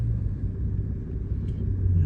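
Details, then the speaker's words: 2014 three-cylinder car with check engine light and P0350 coil primary code returning right after clearing: deep, lumpy idle that shakes unevenly with heavy vibration, running on two cylinders; the middle cylinder's coil is getting no signal through a corroded connector. "देख सकते हैं जी ये दोबारा जो है code आ गया। तो इसका जो है ना एक सिलेंडर काम नहीं कर रहा।"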